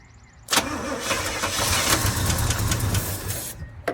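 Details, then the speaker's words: 1966 Chevy C10 V8, sat a long time beside a barn, on old varnished fuel and a cheater starter switch: after a dash of fuel it fires and settles into a lumpy steady idle with a brief blip; it runs. "Hey, that thing wants to start. Let's give it a little dash of this right here and see what happens. Holy cow."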